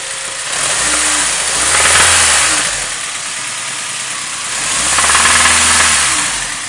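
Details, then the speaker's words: Acura RSX Type S petrol engine at normal operating temperature, no knock when cold: warm idle with two throttle blips and a steady knock about four per second. Cause suspected, not confirmed. "this is um on regular cold start doesn't knock but as soon as you get to normal operating temperatures um it knocks and stuff"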